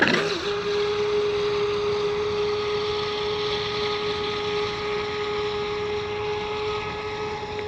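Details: Seaducer SD3 FE-30 30-inch RC mono hull, 3660 1700kv brushless motor, 150A Flycolor ESC, SMC 4S pack, on water: a high, steady motor whine that never pulls down under load; the prop won't load up and is ventilating.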